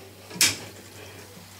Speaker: Bo does this one ever can you hear the clicking almost to the point where I'm afraid that I could break the